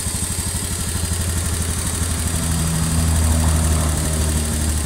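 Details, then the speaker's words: Honda Beat FI (K44) scooter burning oil without white smoke: low idle with light rapid tick from the head, like a valve but not the valve; worn, scored piston and rings, sound gets rougher at higher RPM. "Nah, ciri-ciri piston sudah aus, kalau digas RPM tinggi, semakin tinggi mesin semakin kasar suaranya."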